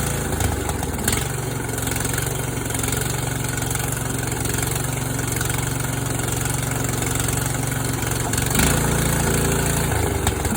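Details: Yard Machines tractor, 14 hp single-cylinder engine from a scrapyard, running after valves set to 4 and 6 and a steel flywheel key made to replace repeatedly broken keys; idles smooth and steady, even low thrum, no knocks; running normally.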